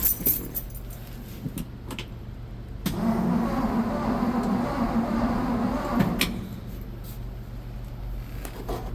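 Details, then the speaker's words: 1963 Ford F100 engine being revived after sitting, Marvel Mystery Oil in valves, full choke and gas given: starter turns engine steadily about three seconds with no firing; owner suspects no spark; cranks but will not start. "Full choke. Let's try a little more gas. I probably don't have any spark."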